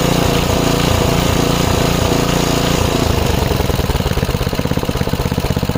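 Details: 5 HP Briggs & Stratton on an MTD rototiller after carb cleaning, started without prime: chugging about three beats a second that rises and sags, then slows and hunts, a surge. Almost idles well off throttle. Cause suspected, not confirmed.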